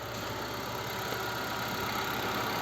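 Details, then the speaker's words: Gentra warming after -20°C overnight cold start; idle dropping from raised warm-up speed to normal; soft steady idle, no knock or whine from engine or gearbox, a noise previously heard at factory 850–900 rpm idle; normal idle. "все сейчас оборота был падает падает падать до нормы"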